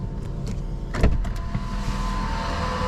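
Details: VW Golf 4 idling smoothly and evenly with a clean exhaust note and no rasp or rattle, just after catalytic converter replacement and error-code clearing; normal idle.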